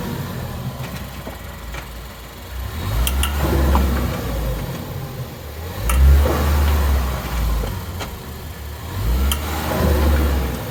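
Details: 2014 Ford Focus, driver-side front: deep rumbling hum that swells and fades with road speed. Three axle replacements didn't help. It was a worn wheel bearing, and replacing the bearing cured the noise.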